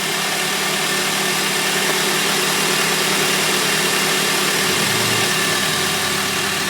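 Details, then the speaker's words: 2001 Honda Civic, 7th gen, just after full timing belt, accessory belts, water pump and tensioner replacement, not yet warmed up, A/C on full blast: steady idle with constant compressor hiss and hum, brief dip near five seconds, no squeal; belts look okay. "Oh, turn the compressor on. Yeah, turn it on full blast. Belts look okay."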